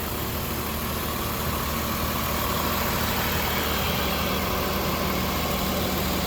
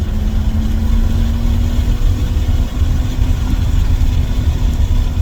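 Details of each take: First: 1994 BMW E36 325is, original iron-block M50 2.5 L inline-six, 135,000 miles: a smooth, quiet, even idle hum with no ticking or rough beats. Normal healthy idle. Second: 1994 BMW E36 325is, 2.5-litre inline six, manual, first drive after barn find: deep, loud, open drone climbing steadily under throttle, far too raw for stock because the muffler is blown; shocks also blown.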